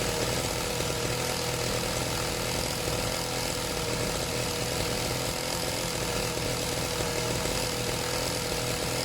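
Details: Serviced pit bike / mini moto two-stroke being set to idle on its own; steady, even idle with raspy exhaust, no surging or stalling; slightly smoky; normal idle.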